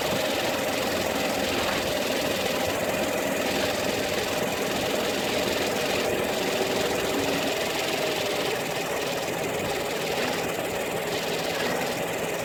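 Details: Peugeot 308 II at steady idle: light, loose knocking roughly twice a second, not following engine beat, from a faulty air-conditioning compressor.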